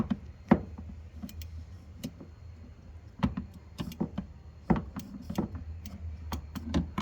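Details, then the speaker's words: Hisense dishwasher flood switch sensor in the base, float pushed by hand: sharp irregular plastic clicks; switch trips and signals a leak, giving the flooding error. "So if there's water at the bottom, this clicks. You'll hear that. This is what it does."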